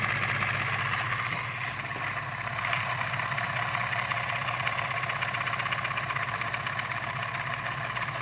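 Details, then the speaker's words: 1930s-40s Robbins & Meyers 16-inch oscillating fan, model B16A6-O, running on low: steady motor hum with fast, fairly even ticking about four times a second from the turning oscillation gears. "Well, I don't know what happened, but that's low. Turning the gears."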